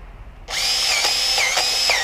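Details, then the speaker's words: Powered grease gun greasing a Bobcat T590: high motor whine repeatedly sags in pitch under load, then recovers as a blocked grease fitting clears and debris pushes through. "You hear the gun bogging down like that? Definitely some nastiness that was stuck in there, and it pushed through."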